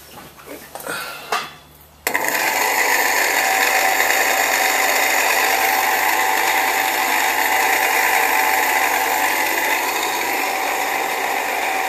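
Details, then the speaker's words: Sirem agitator motor on Fabdec tank, 2700 rpm motor reduced to 25 rpm paddle: loud steady high-pitched metallic grinding whir from start-up; gearbox worn out, replaced, new unit drawing 0.43 A. "Safe to say the gearbox is gone."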